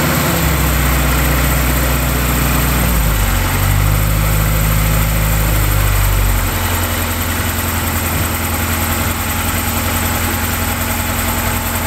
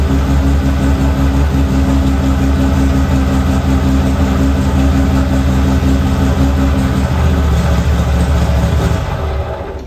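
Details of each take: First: Car that sat all winter with a weak battery, started using a small jump pack after waiting 20 seconds between attempts: a long, sluggish crank that finally catches once fuel reaches the engine, then settles into a steady idle. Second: TVR 2500M classic started on its own battery, without the jump pack; deep even engine note running smoothly, pitch lifting as it's revved then easing back, no misses or knocks; normal start and rev.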